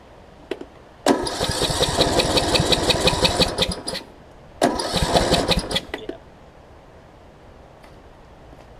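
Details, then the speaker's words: John Deere D110 mower engine rebuilt after a detached flywheel magnet, flywheel correctly oriented: two long even fast cranking bursts, no firing; low compression from a leaking head gasket. "all right i've got low compression here she can hear it it's trying to crank but it won't it won't fire for"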